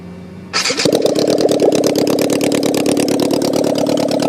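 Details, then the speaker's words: Honda N600 with motorcycle engine swap, carburetor pilots cleaned, cold start on choke: fires instantly into a loud, choppy idle with uneven stumbling pulses; rough idle, owner suspects rich mixture needing carb adjustment, possibly running on two cylinders. "she runs she's loud and it's a little rough I think the mixture needs to be adjusted all the carburetors"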